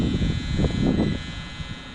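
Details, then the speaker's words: Ducane heat pump not cooling: the outdoor unit's contactor makes a steady electrical vibrating buzz with no compressor or fan running; it is pulled in with 24–28 V control voltage and line voltage present but fails to energize the system. Faulty contactor, replaced. "And I'm also showing 28 volts which tells me even though our contacttor is making we can hear it vibrating."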